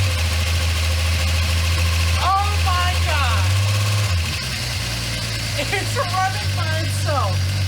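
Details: Jeep XJ Cherokee, first start after sitting 11 years in a tree line, on fresh 87-octane fuel with the fuel pump heard priming: a low idle with uneven pulses that sag and stumble before recovering, and smoke as old oil burns off. Rough idle; cause not confirmed.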